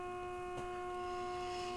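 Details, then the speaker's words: RCA 262 tube radio on the bench after replacing a burnt 1K resistor, warmed up about half an hour, with a modulated test tone injected: a clean, steady mid-pitched tone with overtones and faint hum through the speaker; passing signal normally. "See, I'm turning the tone up a little bit. And you can hear it in the speaker."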